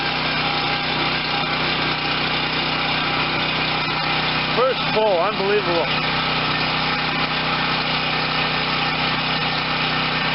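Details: Garage-sale Wen 4050 pull-start generator with new carburetor, fed from an auxiliary tank straight to the carb; small single-cylinder engine holds a steady, even buzz, no misses or surging, runs healthy.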